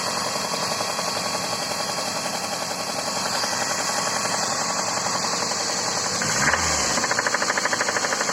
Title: Запуск двигателя ваз-2111. Стук в двигателе